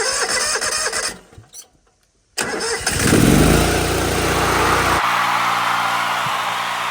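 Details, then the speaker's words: Pressure washer engine starting after an oil change and filling the pump with 1 quart of non-detergent 30 weight oil; the machine runs about 450–500 hours a year. It cranks briefly, catches and settles into a steady, even run with no misfire or knock; owner assumes it's working fine. "All right, we're gonna go with that. I'm gonna make an assumption that it's working just fine."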